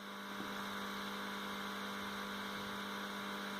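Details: Mains hum from a 5.1 amplifier: constant low electrical hum with a buzzy edge, unchanging throughout; transformer and positive/negative supply voltage are discussed as the area to check.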